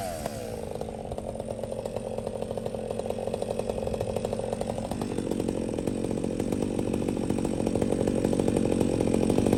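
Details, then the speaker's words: Chainsaw ("400") with 28-inch bar and full-chisel, full-comp chain bucking a storm-felled tree: high scream dips briefly as the chain bites, then holds strong revs through the cut without bogging; normal under load. "If you're still watching, that's a 28-inch bar on the 400 that I'm running, full chisel, full comp chain. Saw has no problem pulling that son of a gun, man. Just listen to it."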